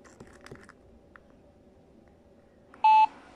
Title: Monitor beeping